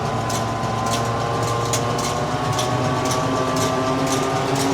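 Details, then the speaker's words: Forage harvester after repairs, reel spinning and revved flat out: steady, even roar with no knocks or grinding; normal running, though a tine or two may still rattle. "Looks to be good to me. No unusual noises. Flat out again. I think it's done."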